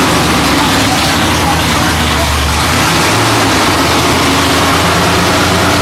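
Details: Freshly rebuilt Holden 308 V8 (described on-site as a 253 with a 360-lift roller cam), on a part chassis, first start attempt: cranks steadily but never fires. The gauge shows no fuel. No start, no fuel.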